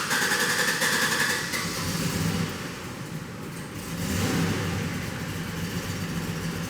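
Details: 2007 GMC Yukon 5.3 L V8 idling sloppy with a stumbling, lopsided beat from a nasty misfire, stalling even when given throttle; leaking intake valve causing low compression suspected.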